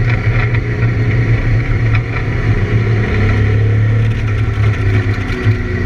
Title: ABR Camaro the misfire laps